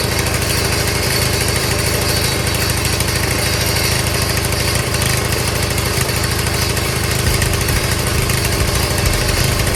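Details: Old Craftsman small single-cylinder engine, started after a little priming; pops along at a steady even beat with no stumbling, running fine.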